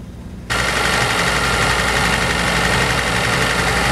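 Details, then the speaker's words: Audi RSQ3 bought unseen from salvage auction, oil overfilled about 200 ml above max, weak battery, cold start: engine catches to fast rough idle with faint high whine and tappy noise, worse on revving; cause unknown. "that was a weird noise oh I didn't like that he runs although the radio won't turn [Music] off well it runs I mean it's got a horrible tappy noise though"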